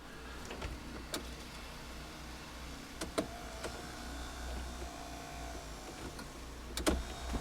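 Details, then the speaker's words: 1998 Subaru Forester heater blower motor, reconnected after cleaning out dog hair that may have seized it; worn brushes are also suspected. A light motor whir with a steady tone and handling clicks; the motor spins freely and works now. "so it's working now so my guess is that it was either jammed up with the dog bar that was up inside of there"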